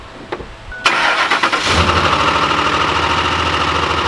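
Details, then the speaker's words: 2005 Ford F-150 5.4L V8 Triton at startup, before Lucas oil stabilizer: engine fires and settles to idle with a loud rapid machine-gun-like knocking; owner believes it is a dry start with no oil, later fixed by the stabilizer. "now right now whenever you started up it has a very loud knocking noise on this machine gun title so let me show you what I mean"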